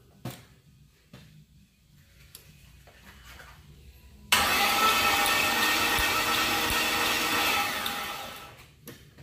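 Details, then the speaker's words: 1972 Ford F100 with LS engine swap, first start attempt with only four spark plugs and missing plug wires: about four seconds of steady whirring cranking that fades without catching; spark at coil packs, cranks but won't start. "yes sir so it is turning over and we got fire jumping out of the out of the coil packs"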